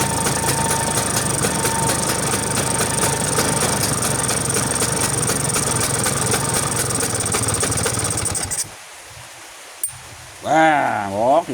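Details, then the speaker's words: Vespa two-stroke after carburetor adjustment for flooding, which previously stopped it within about 10 minutes: quick even buzz with no stumbling or misfire for eight seconds, then clean shutoff; runs perfectly, no flooding. "apakah pespanya hidupnya sempurna eh hidupnya sempurna bisa hidup apakah masih banjir ya"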